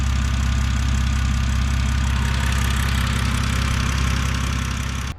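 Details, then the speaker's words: 2006 BMW 325xi, N52 engine, automatic, all-wheel drive, warmed up before oil filter housing gasket job; steady, even low idle with smooth beat, no misses or knocks. Normal warm idle despite noted oil leak and cam timing faults. "all right so runs great now i got it warmed up so i like doing the oil filter housing gaskets when it's a little bit warmer"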